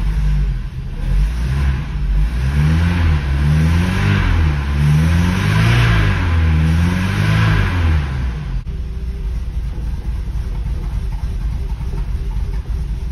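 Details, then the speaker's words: Porsche 924 Turbo after exhaust hole repair, wastegate rebuild and new motor mounts, first start in five months: clean rev blips, slightly lumpy idle, no exhaust rasp or leak; healthy exhaust. "a little lumpy after five months but uh the exhaust sounds good very happy with us and there we go she sounds great back to the way she was"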